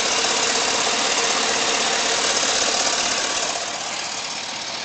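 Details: Warm engine at operating temperature idling, hissy, with steady knock about three per second on driver's side; cause not pinned down.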